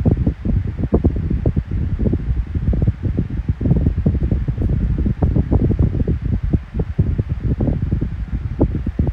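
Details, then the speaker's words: 12-inch Kool-Flo high-velocity fan (SFC2-300B, 3-blade): the bearing noise has gone now that the oil has worked in. A steady low hum with air rustle remains on low and medium but not on high. No squeal or grinding; running normally. "It no longer has that bearing issue now. Finally went away because the oil was kicked in. But it does have the hum on low and medium, but on high you don't have the hum."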